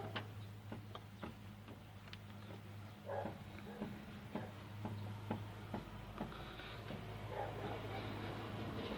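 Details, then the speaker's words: Wheel hanging free on a jacked-up car, rocked side to side by hand: dull, irregular clunks over a low hum reveal audible play in the wheel, likely a worn joint such as the ball joint. "Так, смотрим на колесо. Значит, свесили колесо, берем его со стороны в сторону. Вот у нас есть люфт. Его слышно."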